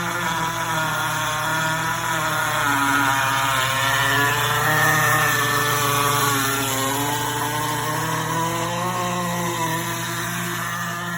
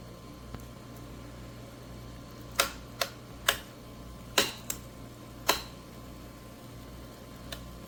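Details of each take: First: GE Profile Opal 2.0 countertop nugget ice maker while making ice: a loud, steady motor-and-fan drone with a busy mix of pitches, louder than its usual sound; cause unclear. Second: GE Profile Opal 2.0 countertop nugget ice maker running: sharp, irregular chirps and clicks over a low fan hum, a few per second at most; the owner says this chirping is normal and constant.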